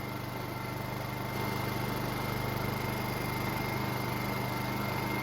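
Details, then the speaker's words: Honda EU2000i inverter generator with a rebuilt carburetor and a replacement throttle-to-governor spring fitted. It runs steady and even with no surging, and speed transitions and higher-rpm running are much smoother. Air filter assembly is off and the idle stop is not yet set. "the transition at different speeds as well as running on the higher rpm is a lot smoother out of the spring you see big difference"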